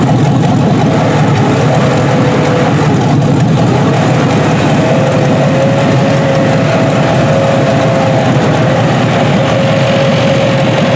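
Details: Junkyard 6.0 L Chevrolet V8 from a 2002 Chevy truck pulled from a mud hole (no water in oil), first test run on a test harness, warming up. Deep, steady, even idle with no misses or knocks; normal healthy idle.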